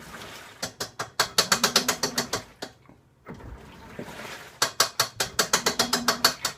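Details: Washing machine making an abnormal noise: rapid ratchet-like clicks, about six to eight a second, come in bursts separated by short pauses; abnormal mechanical clicking from the washer.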